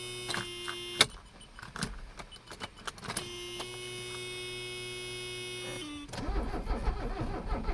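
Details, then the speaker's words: Abandoned Mercedes 300CD diesel on ether without air cleaner, battery nearly dead: starter whirs and labours in bursts with occasional chuffs that never catch; no-start, owner rules out air supply and suspects low compression or air in the fuel lines. "Something's going on with her. It's obviously not air related. She's getting plenty of air, so she's probably just not making compression."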